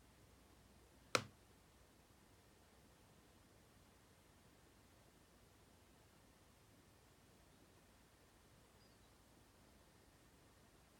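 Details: 2016 MacBook Pro, parts largely replaced by Apple, playing a processor-heavy 4K Premiere Pro sequence: single sharp pop from inside the body in a near-silent room; intermittent popping, owner suspects fans under load, also random.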